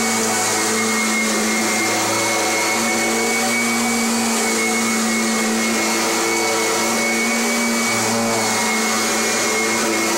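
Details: Kirby Generation 4 (1995) or G10 Sentria (2011) upright vacuum: a steady, even motor roar with a high airy hiss and constant tones, no grinding or rattle; normal healthy running.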